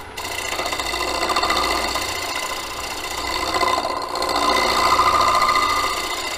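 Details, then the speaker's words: Turning a square bowl on a wood lathe: rough rasping scrape with faint ringing hum surging as the tool bites; the wood is vibrating during the cut, which can lead to chatter marks. "When you hear that, that kind of sigging noise, that's vibration. And that vibration can lead to chatter marks."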